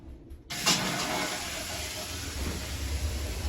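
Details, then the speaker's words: Newly installed gas boiler just fired up on heating demand: burner lights with soft thump after half a second, then steady even roar, no rumble or whistle; normal firing. "Boiler's all working, that's just fired up."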